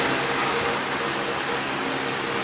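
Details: Car radiator fan motor after disassembly and repair, powered via ignition switch for testing: steady, even airy whoosh with no ticking, scraping or wobble; spins smoothly, healthy.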